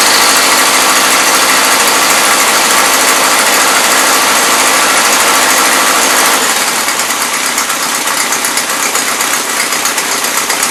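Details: 1977 Toyota Celica, Weber carburetor, first run since 1994 or 2005: loud, rough, blubbering run that dips and unsettles; mixture screws turned all the way in yet still loading up rich; owner also suspects excess fuel pump pressure.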